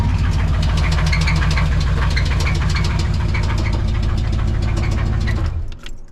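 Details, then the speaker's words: Two-wheel-drive C20 truck that failed suddenly while driving and was towed home; at idle it knocks heavily and fast, loud and regular at about three per second, until shut off. A serious internal knock; others suspect a spun bearing, owner unsure; power steering fluid also leaking. "I've been getting all sorts of conflicting ideas on what happened. A lot of people are speculating maybe I spun a bearing."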